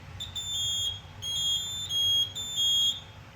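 Even high-pitched beeps, about 0.4 s on and 0.3 s off, repeating steadily: the panel's trouble tone for a disabled detector point.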